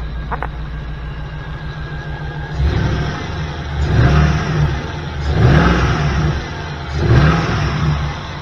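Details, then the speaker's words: 1979 GMC C15 with LS swap, P0300 misfire code, after replacing three injectors: smooth idle with three clean even throttle blips, no stumble or miss; running on all eight, though another noise is still heard. "Oh yeah. That's how she's supposed to sound. Now that's running on all eight."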